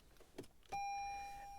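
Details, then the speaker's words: 2024 Toyota RAV4 with the key fob battery removed, pressing the start button: a click, then a single high chime fading over about a second. The car won't start and the dash shows key not detected, check key location. "it's not going to start, and I'm going to get a message on the dash saying key not detected, check key location."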